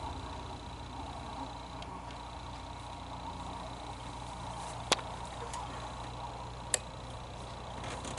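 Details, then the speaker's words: 2004-09 Toyota Prius with headlights not working: two sharp clicks as headlight relay pulls in for low then high beams while lights stay dark; relay coil works, owner suspects relay contacts or fuse. "Okay, I heard that click. Now I'm going to turn the high beams on. And I hear that click too."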